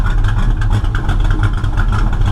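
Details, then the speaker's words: V8 running rich and smoking heavily: lumpy, uneven idle with irregular pops and stumbles, backfiring from the tailpipes; owner suspects ignition timing off 180 degrees, not confirmed. "Hear that smoke in here? Hear the backfiring? That's why I think it's timing. I think it's off 180 degrees."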